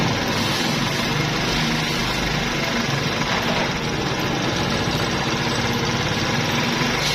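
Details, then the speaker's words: 70cc Honda bike after air cleaner cleaning and oiling, which caused the earlier misfire, plus slight mixture adjustment: idles evenly with a steady, unbroken beat and no skips or misfires; healthy idle. "उसके बाद bike को test करके check किया है bike missing वगैरा भी बिल्कुल नहीं कर रही"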